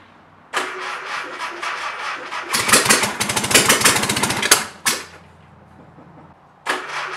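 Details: Mystery VW engine that came with a 1959 VW ragtop, started with a hot-wired coil and starter; cranks and catches in rough, uneven bursts that stumble and die, one cylinder not firing, traced to a cracked distributor rotor.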